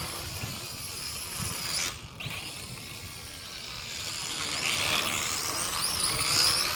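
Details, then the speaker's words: MJ 103 quadcopter (X5C clone) flying after a crash damaged an open drive gear: high buzzing motor whine swelling with throttle over an uneven gritty rattle from the chattering damaged gear; still flies. "Boy, that gear really got messed up in that fall. That's what I was saying about the open gears. It's still flying."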